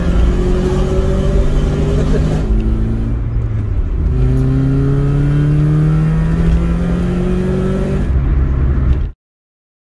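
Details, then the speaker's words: Car driven on the road: engine note climbs and falls through the gears with a coarse, rorty, raspy edge under throttle; owner thinks the exhaust is blowing, making it sound like a classic Mini, unconfirmed. "i think my exhaust is blowing everything's slightly more but at the moment i don't really mind it just makes it sound like a classic mini"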